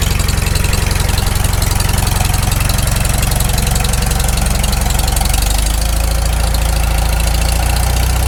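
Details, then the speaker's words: Farmall Super M tractor first start after full rebuild, still cold, initial carb settings: smooth regular idle settling lower, no knocks yet, owner expects knock once warm; normal cold idle. "it doesn't idle down too bad given just it's the initial carb settings i can't hear any knocks yet oh it's still cold it'll knock once it warms up"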